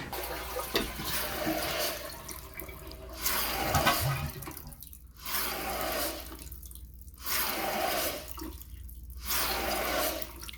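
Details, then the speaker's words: Master bathroom toilet with a defective fill valve: water rushes on and cuts off about every two seconds after flushing, short cycling that causes water hammer tapping in loose supply lines in the wall. "I'm hearing the tap tap tap as I stand in the hall so I can hear both bathrooms and from the master I'm hearing a short cycling of the fill the fill valve"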